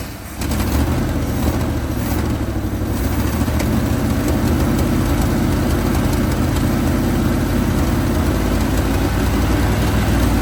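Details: 1980 Chevrolet Sierra Grande K1500 truck that sat 22 years, with a new distributor and tensioned belts. Steady, even low V8 rumble right after it catches, with no knocks or misses. Normal idle.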